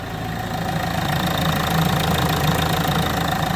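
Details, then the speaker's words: 2007 Ford S-Max idling after repair of the radiator fan fault (P0691 set a few minutes after start); with AC switched on to trigger it, a steady, even rushing whir builds over the idle with no grinding or ticking, so the cooling fan runs normally and is being controlled. "Let me see if it's running. Yes, it is. There we go. So the fan is working fine, which means it's being controlled, which means the system is working fine."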